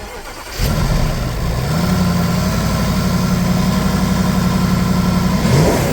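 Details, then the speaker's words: Jaguar XK: engine catches then idles uneven and lumpy with wavering beat and heavy smoke; cause found was oil diluted with petrol, 9–10 litres drained, suffocating the engine. "So it turns out the engine was full of petrol. I took about 9 to 10 litres of oil out of it, and it had the consistency of petrol, stank of petrol. So the reason why all that smoke was coming out was petrol in the oil, suffocating the engine."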